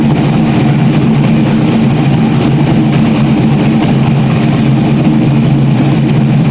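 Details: Freshly rebuilt stock-block GM 5.3 V8 race engine's first run after almost a year of rebuilding; deep, steady idle rumble with an even beat and no knocks, misses or surging, a small leak dripping; sounds healthy.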